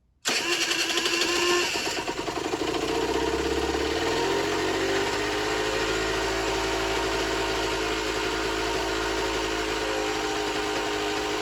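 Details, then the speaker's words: Generic Trigger SM 50cc on a temporary fuel tub with a stiff old throttle cable: catches, flares, then hunts at an uneven buzzing idle. Rough, surging running; owner suspects an air leak, later found around the intake manifold, plus blocked jets. "It's not running too great. I think she's got an air leak. Yeah, I think it's got an air leak somewhere."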